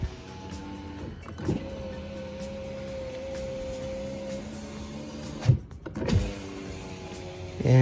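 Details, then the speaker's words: Lubricant sprayed into the front window channel of an Infiniti Q50 power window that had become slow and squeaky; afterwards a smooth, steady motor hum with no squeal as the glass travels freely, indicating normal operation with the squeak gone. "it sounds like the squeak is already gone so it must have been coming from that front area"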